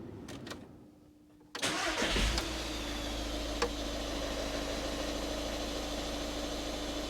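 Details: 2013 VW Caddy 1.6 diesel, started just after an oil and filter change and left at tick-over without revving so the oil circulates: short crank, fires promptly, smooth steady idle, no knocks; normal cold start and idle.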